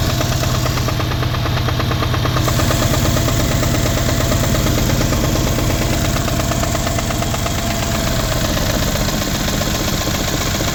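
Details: 2012 Mercedes CLS550 V8 idling: steady, fairly quick knock through the hum, seemingly from the passenger side of the engine; no check engine light.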